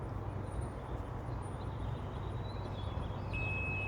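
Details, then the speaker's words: 2006 Mercury 150 HP Optimax outboard running, unused about 5 years, alarm 4 beeps every 2 minutes, oil system visually fine: single high-pitched warning beep over engine; oil tank level sensor confirmed triggering the alarm. "There's the beep. Hear it. All right. We got proof positive. Absolute proof positive that that's the problem."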